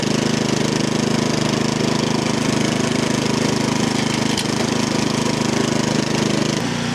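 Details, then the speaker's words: 13-year-old MTD snow blower, Powermore 208cc, running at the run setting: a steady fast beat that is mostly even with an occasional pop-pop sputter between long normal stretches; cause not pinned down. "Okay, she's running. She is sputtering a little bit, like every once in a while you get that pop, pop, pop."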